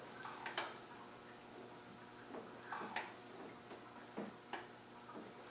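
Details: 300Tdi engine turned by hand, glow plugs out, no power to the injectors, no vacuum or fuel pump fitted: faint, irregular high-pitched chirps and squeaks with no running noise. A dry valve-train squeak, still being pinpointed.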